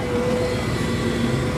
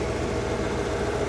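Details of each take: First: Car stereo with amp, rear speakers and subwoofer, radio off, engine running: a thin whine from the speakers rises and falls with revs. Cause is a ground loop, fixed by grounding the stereo directly to the amp. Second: Car stereo with amp after ground-loop fix, stereo grounded directly to the amp and other grounds removed: even engine idle with no hum or whine rising with RPM; normal audio, no hum.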